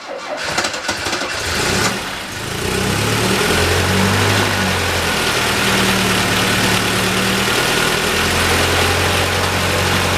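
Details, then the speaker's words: Cold start, engine still running rough after oil and filter change; catches quickly, then idle wavers and surges over a loud exhaust drone; owner suspects fuel pump and fuel delivery: rough idle. "still running kind of rough all that yellow fire definitely you know I believe that's probably still because of the pump and the fuel delivery"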